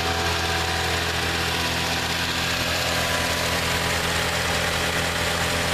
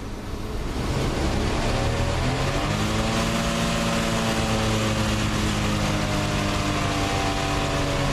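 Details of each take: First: 1987 Plymouth Gran Fury, carbureted, suspected fuel starvation, warming up on fast idle: smooth, steady idle with constant drone, no dips or stumbling, never tries to stall. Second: 1987 Plymouth Gran Fury, carbureted, with a suspected fuel starvation problem, held at steady throttle after the evap canister lines were checked. Engine note climbs and sags in slow waves by itself; engine surging and stalling.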